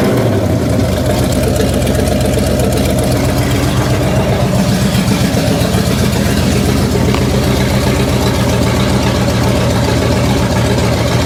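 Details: 1966 Chevrolet C10 V8, distributor loose while setting timing: loud idle with uneven loping beat and rough irregular tick; owner suspects one cylinder, unconfirmed; abnormal engine noise.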